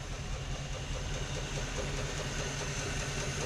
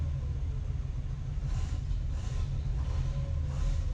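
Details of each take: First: 1955/56 Oldsmobile Rocket 88 with 324 V8, first run after sitting 22 years, idling with good oil pressure: steady even low idle, no knocks or misses, little smoke or blow-by, though a vacuum leak is suspected; normal idle. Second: 1955 Oldsmobile Rocket 88 V8, barn find that sat 22 years, first run: deep uneven idle rumble with a faint airy hiss coming and going; suspected big vacuum leak, good oil pressure, little smoke or blow-by.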